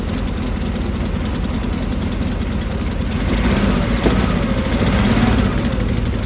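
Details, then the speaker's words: 1970s VW bay-window campervan air-cooled flat-four, first start in over 30 years after being seized, starter fed directly from battery: chugs at an even, steady idle with a slight swell; running fine. "We've got fuel. We've got spark. We've got a starter. Just like that, she works."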